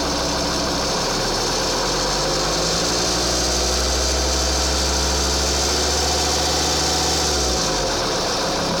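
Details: 2.4 JTD diesel idles with an uneven clatter, revs briefly and settles back; strange noise, cause unknown.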